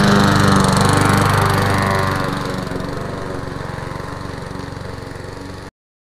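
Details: Lawn mower test-run before sale: quick, even beat near 210 a minute, then fades smoothly; running healthy.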